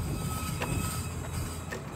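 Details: Car creeping to a stop at night: thin steady high squeal over low rolling rumble; owner suspects brakes; squealing noise.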